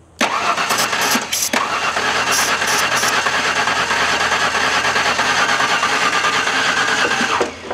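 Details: LT van engine: even starter cranking for about seven seconds without a single fire; cranks but won't start, with incorrect ignition timing the cause.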